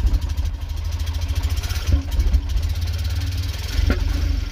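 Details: Tata Nano CNG, just started: lumpy, uneven idle with sharp backfire pops about every two seconds; engine misfires and shuts off when accelerator pressed. O2 sensor suspected.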